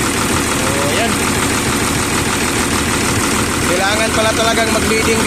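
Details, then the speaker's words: Volvo EC210BLC excavator, D6D diesel, that would not start, running after fuel bleeding at the rocker cover: loud, dense, steady clatter at even speed with no stumbling or dying; normal idle. "Sige dong, start dong. Yon. So umandar na mga boss."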